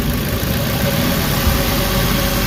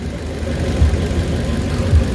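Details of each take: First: Warm Suzuki Carry engine idling under two minutes after adding XADO engine treatment, fixing earlier shaking, knocking and low power: steady, even idle with low rumble and no knock; the earlier shake has largely settled. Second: Suzuki Carry, warmed up, with low power and poor hill climbing: loud rough idle with heavy low rumble and shaking, engine mounting looks loose; before oil change and XADO engine treatment; cause not confirmed.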